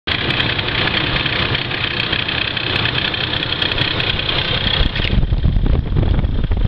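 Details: Ford Crown Victoria about five minutes after startup: steady idle with a raspy, hissy upper noise that changes character midway; an extra engine noise whose cause is unconfirmed.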